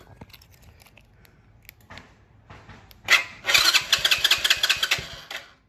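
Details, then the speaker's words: Go-kart engine with newly installed PZ20 carburetor, cranked with choke held: silence then a few seconds of ragged popping that stumbles and dies; nearly starts, owner suspected hardware, later ran after carburetor change. "so close so close all right well that's a good start i think that hardware was an issue so let me work on a little more here"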